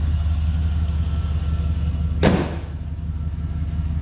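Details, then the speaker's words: 2002 Chevy Silverado 2500 HD 4WD 6.0L Vortec after alternator replacement for bearing noise: low, steady idle rumble with no whine, growl or belt squeal, one dull thump midway; engine sounds healthy. "I might pick up a belt just in case if I ever throw that one, but sounds way better than that old one."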